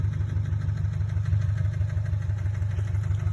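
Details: 2017 Subaru STI, 38,000 miles, Cobb access port, SF intake, Remark axle-back: lumpy idle with regular thud about three times a second over deep exhaust burble. Owner suspects rod knock; oil pan to be checked.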